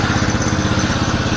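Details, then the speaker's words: Honda GL Pro single-cylinder motorcycle after a new CDI was installed (the old CDI had burned out): quick, even putter at idle with steady beats and no misfires or stumbles; idles normally. "Menyala. Terdengar ya kak suaranya? Jadi memang problemnya kemarin tuh CDI-nya memang meleduk kak."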